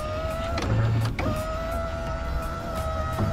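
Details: Nissan 240SX power window after replacing the defective window amp: steady even motor whine as the glass travels, short pause, then runs again smoothly; window working properly.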